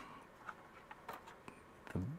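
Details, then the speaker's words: Untested Macintosh SE/30 or Plus compact Mac: faint scattered metallic clinks and a dull knock as the case is moved, a small loose part rattling inside, possibly a fallen corroded tab or floppy-drive metal cover; don't power it up before checking. "little thing clinking around, which is one of the reasons that you should not just power up one of these machines."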